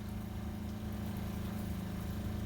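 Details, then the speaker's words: RV travel trailer water pump after relocating it and adding vinyl hose sections to its lines, filling the drained water heater: low, even hum with soft steady pulse, no rattle or buzz; normal quiet operation, unlike the old banging, vibrating factory setup. "and that is very very quiet it's probably hard to tell on the camera because you can hear the water pump running but it's a night and day difference between the old style it was banging banging banging and vibrating the travel trailer"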